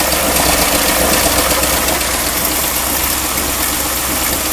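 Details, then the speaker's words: 1959 Mercury Monterey V8 after a decade asleep, idling after sitting: rough raspy puffing chuff about four pulses a second with a little squeak from an exhaust leak; missing hanger, no smoke, otherwise running well. "the exhaust leak is still there and I also need to include the hanger but it's not smoking even after sitting a long time it's not smoking it's running really really well so I'm definitely happy about that you hear that little squeak from the exhaust most of this noise you hear is from this exhaust"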